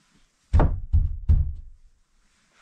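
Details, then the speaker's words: Jeep hardtop after installing a twist-to-tension pressure brace as a fix for a droning, cabin-pressure bass noise: three dull low thuds about half a second apart, with no lingering boom or drone; the pressure feeling is basically gone. "it takes it still makes a thudding noise when I do that but that pressure feeling is basically gone"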